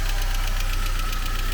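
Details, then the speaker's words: 1999 Saab 9-3, B204E engine with Garrett T25 turbo, 238,000 km, no engine light: a fast, even tick at roughly nine per second over a deep steady idle, ticking quite bad, likely from the top end. "now it's ticking quite bad"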